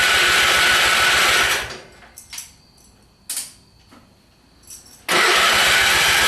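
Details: Simplicity small engine with hard starting, cause unknown: a rushing crank for a second and a half cuts out, pauses with a few knocks, then cranks again without firing.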